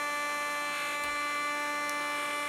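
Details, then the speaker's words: Acer Predator Helios 300 PH315 (2019) gaming laptop with burning smell: high, steady whining buzz with sharp tones, no rise or fall, from a worn, wobbling cooling fan; failing cooling fan bearing. "we're just gonna turn it off hard boot turn off i have to get eyes on it to see what is actually going on that is a gnarly noise"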